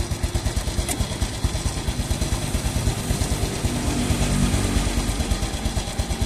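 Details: Small single-cylinder motorcycle idling after fresh Shell Advance AX7 10W-40 oil change, warming up: even putter about three beats a second, no ticks or knocks, smoother than before; sounds healthy.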